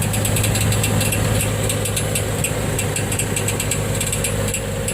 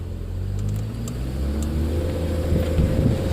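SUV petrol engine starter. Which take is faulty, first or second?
first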